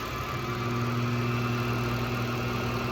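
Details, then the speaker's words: Ford Super Duty two-piece driveshaft with new center bearing spun on a balancing machine at about 450 RPM: steady drone with uneven pulsing shudder about four beats a second; out-of-balance shaft stuttering on center bearing. "And that's that stuttering around on the center bearing stand."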